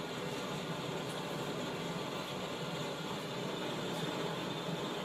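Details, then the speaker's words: 1917 Blackstone 9 hp hand-start hot-bulb vaporizing oil engine run on household heating oil: steady roaring hiss of a modern gas blowlamp pre-heating the vaporizer before starting, no engine running yet; normal pre-heat. "the noise you can hear is the blow La heating the B vaporizer and Readiness to start the engine"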